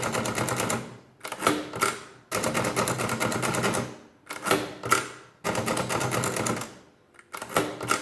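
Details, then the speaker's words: Hand-cranked 10-key Facit-style mechanical calculator after repair: bursts of rapid, smooth, even mechanical ticking about every three seconds as the crank turns; works properly, keyboard keys still slightly stiff and may need loosening. "functional everything seems pretty good I might have to use a little bit just to you know finish loosening up the keyboard"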